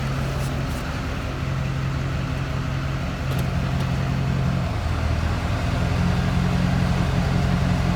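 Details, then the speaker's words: LB7 Duramax diesel idling in drive after cutting the lift pump return spring to lower CP3 supply pressure (about 9.6–9.8): steady, even low rumble with no lope or surge; normal idle. "great here the truck behind me is just sitting here an idle the way it's supposed to it doesn't seem to be limping anymore"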